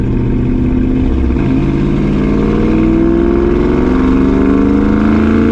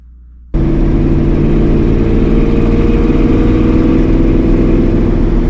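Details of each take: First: 1965 Ford Mustang 302 V8 on a test drive after the driver-side header was loosened and its gasket replaced to fix an exhaust leak: strong, even pull through the revs with a clean shift, no ticking, popping or backfire. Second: 1965 Ford Mustang with 302 V8 and headers: starts and settles into a steady deep rumble with a raspy puffing edge from a leaking exhaust header; driver-side header gasket to be replaced.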